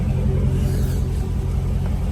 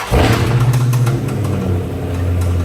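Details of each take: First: 2017 Dodge Charger SRT 392 V8 after engine rebuild, idling about 10 minutes warming up, coolant at 163 while bleeding: deep steady rumble, even firing, no knocks or ticks, a short bump near the end; later ran 45 minutes without overheating; normal idle. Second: 2017 Dodge Charger SRT 392 V8 at idle, customer ran it low on oil; steady low clatter about three to four knocks a second, rattling and knocking suspected from camshaft and lifter wear with metal shavings and a check engine code; rod knock.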